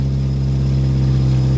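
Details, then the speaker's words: Chevrolet Cavalier converted to run on woodgas, warming up with a little throttle after fixing leaks in the PVC piping from filter to under the hood; smooth, even low drone with steady pulse, no knocks or misses; normal running, better gas now. "okay you can hear it's running i'm letting it warm up a little bit got a little bit of throttle put into it there we go"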